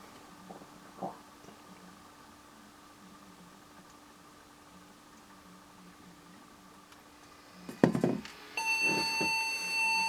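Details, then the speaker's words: Case speaker on a Japanese dog-themed PC gives a sustained high BIOS beep after a power-on clunk, with memory removed: BIOS code running, so the CPU works to some degree, warning that no memory is installed. "That is the BIOS for we have no memory which is correct. That's good. That means BIOS code is running which means the CPU must be running to at least some degree."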